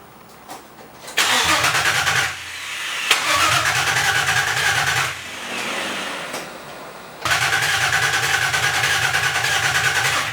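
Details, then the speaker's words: Nissan 350Z with replacement engine just installed, first start attempt: three bursts of strong, even cranking but it never catches; crank no start, owner suspects it's not getting fuel. "okay it seems like it's getting um plenty of crank yeah you're not getting fuel"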